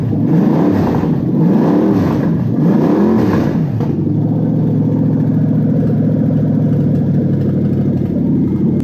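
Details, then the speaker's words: Toyota 1UZ UCF20 non-VVTi V8 test engine on a new wiring loom with stock ECU, first cold start after running out of petrol: fires, revs a few times, then settles to a slightly lumpy idle; one cylinder has a valve problem. "you'll see that this one's actually running with one cylinder with a valve problem and it still starts and runs like that"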